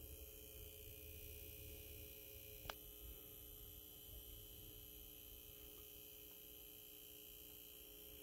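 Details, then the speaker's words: Brand-new Optoma UHD52ALV projector, just out of the box, playing paused 4K content: a faint, constant buzz audible in quiet scenes. It persists after break-in and stops in 3D mode, where the 4K actuator is inactive; owner suspects the 4K actuator. "a buzzing noise that you're hearing any quiet scene or any lower volume scene you could hear this buzzing noise coming from the projector when it's in 40 mode going further down you could still hear it"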